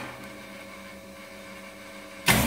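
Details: 37 kW enclosed star-delta starter running a 4 kW test motor: a quiet hum, then one sharp contactor clunk as star drops out and delta pulls in, with the motor surging up cleanly; a healthy changeover.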